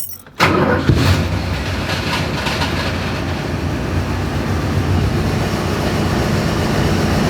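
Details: Dart on its first start after work, in neutral with the e-brake set: quick catch after a short crank, then a steady, even low rumble that settles without misses; healthy start and idle.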